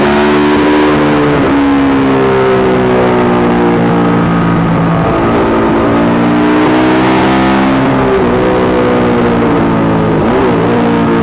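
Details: Yamaha YZ450 single in supermono race bike on track, pitch rising through gears with stumbles and dropouts; misfire worsens after a couple of laps, persists despite changed carb, tank, filter, breathers, ignition, coil, generator; cause unknown.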